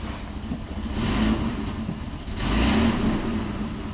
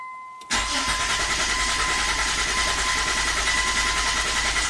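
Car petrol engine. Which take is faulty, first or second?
first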